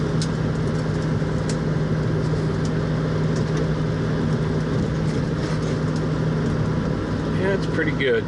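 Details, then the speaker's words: 1966 Mustang on a speed-bump road, testing for bump steer after reworking the TCP upper control arms with galled rod ends. Steady low road and engine rumble with no knocks or clanks; the suspension sounds tight, though the steering wheel sits crooked. "good notice it's not clunking [Music] well not bad all except the steering wheel's crooked"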